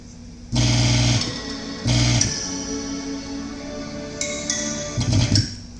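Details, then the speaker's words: Mustang GT40 guitar amplifier with no or very quiet sound: signal fed straight into the amplifier IC plays guitar chords clear and full without hum, crackle or dropouts; amplifier IC works, fault lies in the source stage. "so you can hear that noise that's that's enough of test to know that the amplifier I see it works"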